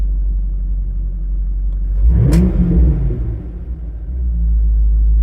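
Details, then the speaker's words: V8 with MSD/Holley power harness, warming idle, voltage 13.9–14.0 V; steady idle, one clean throttle blip rising and dropping back with no misses or stumbles. Normal throttle response. "We'll let it idle for a second till it gets warm, and we'll blip on the throttle. Voltage is still 13.9, 14.0."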